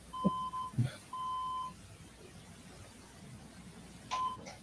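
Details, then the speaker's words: HP desktop computer at power-on: an uneven POST beep code reported as 5 short beeps, with a red light on. A CMOS battery or BIOS setting issue is suspected. Unconfirmed. "But there's usually a pattern to the beeps. 1 long, 2 short, 4 long, 4 short, Right. And I can hear it, but I can't make out the pattern."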